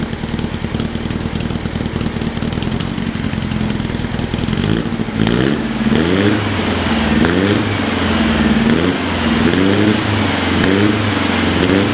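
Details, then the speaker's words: VW Baja Bug air-cooled engine parked about 20 years, new spark plugs and HT lead, fuel mix uncertain: five seconds of steady chugging crank, then catches into a lumpy pulsing run that settles. Normal running. "well that was um easier than i was expecting that's basically doubled the value of the car um i can't tell you how happy i am i'm really happy that that works"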